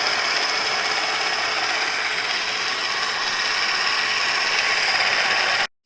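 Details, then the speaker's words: Onson D18e cordless stick vacuum head brush running: a fast, harsh ratcheting clatter of about three clicks a second as the broken plastic brush-roll end gear, popped back on temporarily, slips off the metal shaft. "So as I said, this gear breaks off. I can pop it back in temporarily over here. Here it snaps a little bit. But now when I turn it on, it just comes off really easily."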